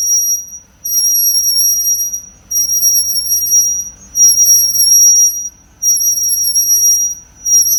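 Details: Car on a lift after front and rear pads were removed and sanded, which cured the front noise: a piercing high squeal rises and drops out in bursts as the right rear wheel spins; right rear brake squeal.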